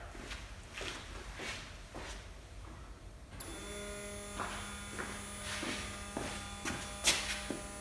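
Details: 1970 Porsche 911T after rebuilding its Zenith 40 TIN carburetors and replacing fuel lines: a few thumps, then a steady, even electric buzz as the fuel pump primes to about 3.5 pressure with no leaks, just before first start in over 10 years.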